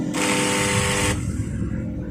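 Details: Makita 9553B angle grinder with no power and a burnt smell, spinning up with a short, slow, weak whir then coasting down quickly; carbon brushes full and commutator intact, weak armature suspected, not confirmed.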